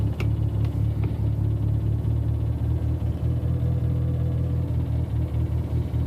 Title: Noise at idle inside car